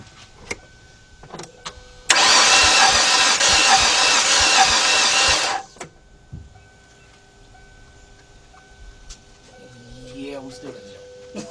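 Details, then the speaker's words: 2006 Kia Sportage 2.7 no-start after overheating, compression test: about three seconds of slightly uneven chugging cranking, no start; blown head gasket suspected. "okay last time we looked at it it was 30 now we open around 55 which is definitely improvement"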